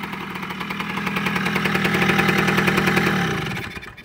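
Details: Kawasaki KE100 two-stroke just after its first start following winter storage, on choke: crisp, even buzz that picks up smoothly, holds steady, then winds down cleanly; normal running.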